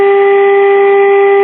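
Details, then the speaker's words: 1951 Sentinel AM tube radio during IF alignment: steady pure test tone near 400 Hz holds unchanged through the speaker; a replaced permeability-tuned second IF transformer is way off alignment, slugs very tight. "all right the second if someone replaced is way off"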